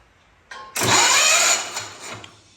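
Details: Hot Rod Ford LGT tractor engine, battery newly hooked up, first attempt to turn it over: short starter cranking, engine spins freely but never catches; no-start traced to broken ignition coil wire contacts.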